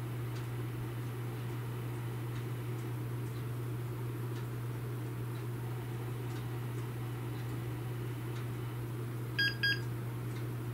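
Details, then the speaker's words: Dell OptiPlex 960 SFF after replacing the worn-bearing CPU cooling fan with a Noctua NF-A8 PWM, on reboot: low steady fan hum, then two short high beeps flagging the previous CPU fan error, considered normal. "previous fan ad error which is normal so i'll just hit continue"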